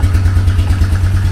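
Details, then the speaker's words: 2004 Yamaha Wolverine ATV single-cylinder, choke off, after new exhaust system installed: even, quick steady idle, low and muffled, much quieter than before, no ticking or puffing from exhaust leaks. "wow that is so much quieter no leaks coming from there that's good yeah that is a huge difference definitely worth the investment there"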